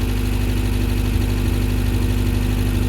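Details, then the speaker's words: 1979 Subaru GL wagon started after sitting about a year without starter fluid; steady, even purring idle with soft regular pulse about three beats a second, no misses or knocks, normal idle. "wow she is purring like a kit making all those nice sewing machine noises we didn't even have to use our starter fluid I cannot believe that wow she runs really"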